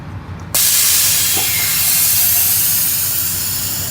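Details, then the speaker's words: Truck tractor's trailer air supply knob pushed in, sending air to the trailer while sliding trailer tandems under a 43,000-pound load of board: a sudden, steady, sharp hiss that holds several seconds then eases slightly, normal air supply. "That hissing noise, if you can hear it, is air being supplied to the trailer."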